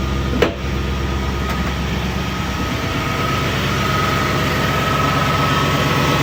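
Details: 1967 Mercury Cougar V8, roughly 85,000 miles, barn-stored 15 years, first start: brief crank and catch, then a steady, fairly even low idle settling in; runs smoothly after long storage.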